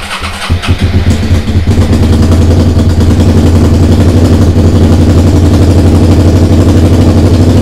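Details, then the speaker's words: SV motorcycle under restoration, first start after carb rebuild, TPS setting, regulator change and fresh fuel: a few uneven cranking beats after the empty bowls fill, then the twin catches into a lumpy, uneven idle that runs badly. "ben ça démarre alors ça démarre par contre ça tourne pas bien du tout"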